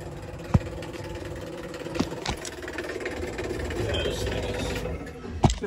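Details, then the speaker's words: Buderus GB142 boiler showing error C7, no heat: the circulator pump runs with a steady low drone, rough uneven hum and occasional clunk; the pump is shot and was replaced. "pump don't sound too [Music] healthy she's running sounds like this Circ is cut"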